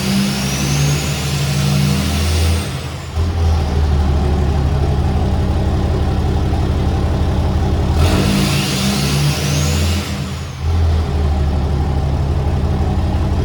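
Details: 2017 Ram 3500 Laramie Longhorn Megacab diesel, straight-piped and tuned: start-up, loud deep idle swells twice into strong revs with rising turbo whistle and drops back cleanly; healthy, just straight-piped.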